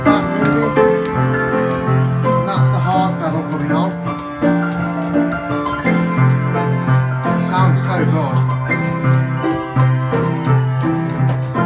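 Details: Weber Duo-Art Pianola player piano after fixing a vacuum leak from the perished Duo-Art accordion box: plays a roll at full, even volume with strong, clear notes and no dropped keys.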